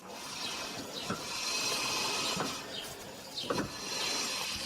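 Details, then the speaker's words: Ford Focus 3 front left wheel spun by hand after cleaning and greasing caliper guides (Mannol 9896) to fix squeaking and a sticking caliper; only a soft, even hiss and light rustle, no squeal; brake now quiet. "It's clear that the wheel has stopped squeaking."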